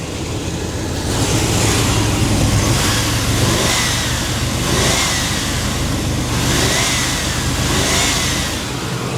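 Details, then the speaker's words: Chevy Tahoe V8 after sitting 7 years, mic at the engine, running after distributor cap and rotor replacement: even, steady running with smooth rev rises and falls, no misfire, tick or stumble; engine healthy. "እንደምትሰሙት ነው ድምጹን በጣም አሪፍ ነው ስለዚህ ተነስቷል"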